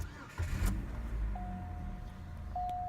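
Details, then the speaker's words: 2005 Chevy Cobalt with 50,000 miles: short crank catches promptly, quiet steady idle with a chime in background; check engine light on (owner thinks emissions-related, code unread), no squeaks or knocks; normal engine start. "runs great see there you go fifty thousand miles and was averaging I even reset the average 27 miles a gallon runs nice and cool no squeaks no knocks no noises"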